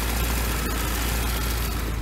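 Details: BMW E36 318is after replacing a failed plastic cooling-system connector, idling while the coolant system bleeds air through the bleeder screw; even, smooth low idle with steady hum, no knocks, misses or squeals; normal idle while warming.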